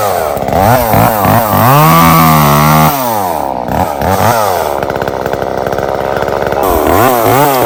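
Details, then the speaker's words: Echo CS-3450 chainsaw after carburetor and primer bulb replacement and mixture tuning, cutting with dull chain: crisp high rev that bogs cleanly into the cut and recovers without stumbling; running right. "What do you guys think? I think she sounded pretty good. Finally. There's nothing like a good little two-stroke."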